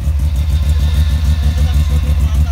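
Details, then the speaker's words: Mazda RX-7 FD, first start of a new ported rotary engine at 27°C coolant: fast, even idle with a steady low burble, holding revs without hunting, but running very rich at about 10 AFR while cold. "it holds the idle but its very rich AFR... its 10"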